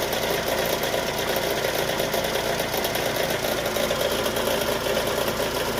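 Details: Chevrolet Cruze/Sonic engine idling with a light, uneven sewing-machine clatter, about 85 taps a minute. Source can't be pinned down and the cause is suspected, not confirmed.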